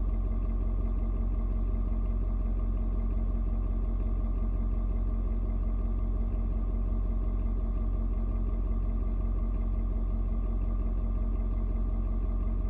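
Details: Ford Super Duty 6.7 diesel, cold start at 56°F, mellowed out after adjusting its fuel mix to the outside temperature. Even, deep idle clatter, steady and settled with no hunting or misses while warming. Normal cold idle.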